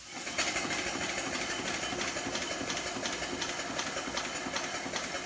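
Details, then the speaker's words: Allen Mogul model locomotive running on compressed air at about 10 psi after big leaks were sealed: crisp even exhaust beats about every 0.6 seconds over steady air hiss, forward then neutral and reverse; runs well, small leaks remain. "Sounds good. Balance and bar to neutral. Balance and bar in reverse. Running on 10 psi right there."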